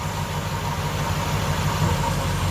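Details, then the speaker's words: Nissan D22 Navara with VK45 V8 swap idling, developed after a clutch replacement: mostly even idle with occasional stumbles; intermittent misfire, crank angle sensor itself steady, fault traced to its wiring. "heard a misfire then. Another one there. So the sensor itself is staying rock steady, not moving at all. So we've got a fault in this wire here somewhere. It is causing all our problems."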